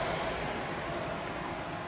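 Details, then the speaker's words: Audi S4 (B6/B7) with ignition off and key out: steady even whoosh of driver's-side radiator fan running constantly with no engine; fan stays on 24/7 with key off. "band on the driver's side is on 24 7 even when the key is off"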